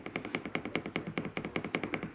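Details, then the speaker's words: 2022 Jayco Eagle 29.5 BHDS furnace turned on from the control panel with the setpoint raised: sharp, evenly spaced ticking at about five clicks a second as it kicks on; normal furnace start-up, takes minutes to cycle off. "turn your furnace on you'll hear it kick out but what you will notice there it is there when i shut your furnace off okay generally take a few minutes to cycle through before they shut off compared to the ac"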